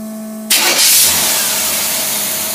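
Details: Carbureted V8 on a test engine with freshly rebuilt Rochester Quadrajet that wouldn't run before teardown: quiet hum, then it catches cleanly and settles into a steady even run, no stumble or misfire; normal start.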